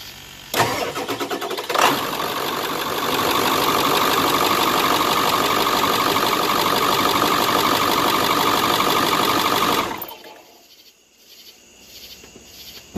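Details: Ford Excursion 7.3L diesel in 90-degree heat after new batteries and repair of a cold air intake's broken crimped nuts: two short cranks, then a smooth, even idle before shutdown. Healthy start.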